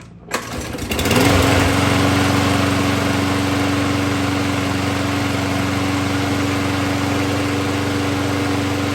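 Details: 2010 Troy-Bilt push mower restored and started for the first time after makeover: pulls over, catches within a second and settles into a steady even drone at constant pitch; normal running.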